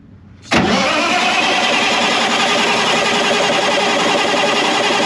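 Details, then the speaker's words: New Caterpillar C15 700 hp generator set, about 30 minutes factory run time, first pre-check: starter engages and holds an even, steady cranking drone with injection disabled and no firing, building oil pressure; normal cranking. "I've got injection disabled. It's going to be cranking and I just want to see it building oil pressure."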